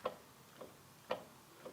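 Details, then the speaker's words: BMW Z3 (E36 drivetrain), rear wheels rocked back and forth with car tied down: four sharp clunks about half a second apart; play at the differential or driveshaft U-joint, exact source uncertain. "and that is certainly coming from my differential so let me move those wheels back and forth so i'm going to move those wheels back and forth and i can certainly hear clunking"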